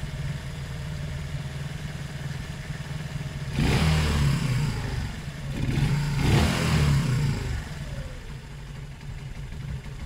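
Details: Zontes 125 motorcycle, warmed up with choke off, after its tank full of rust, twigs and water; lumpy idle stumbling between two throttle blips, not running clean; owner suspects kinked fuel pipe limiting fuel flow, fuel starvation.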